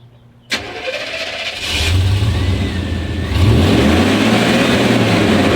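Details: 1991 Chevrolet Suburban V2500 4x4 5.7L 350 V8, new cap, rotor, module, wires, fuel filter: cranks and catches, then uneven, wavering idle that stumbles while shifted drive/reverse/neutral, lacking power; fixed by replacing the ignition coil.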